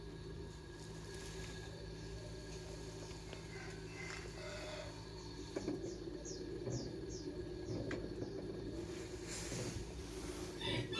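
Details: Aqua washing machine running loudly: steady low rumble with droning hum from the spinning drum, caused by a failed bearing.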